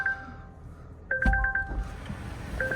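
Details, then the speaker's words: 2020 Volvo wrecked in a police pursuit, first start after the crash: short high-pitched dashboard chimes, one then four then three, with warnings for low engine coolant level and pedestrian protection service. "Engine coolant level, pedestrian protection service, engine coolant level."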